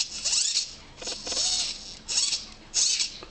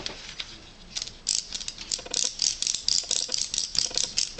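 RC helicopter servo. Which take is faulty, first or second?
second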